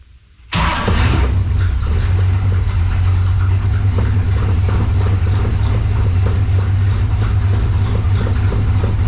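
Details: 1968 AMC Rambler American 401 V8, rebuilt: catches and settles into an even, deep rumble with a steady beat and no knocks or misses. Healthy.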